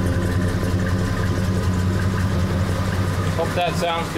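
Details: Vehicle start after exhaust/tailpipe welding: steady even low rumble at idle with no puffing, ticking or rasp; exhaust sounds sealed and healthy.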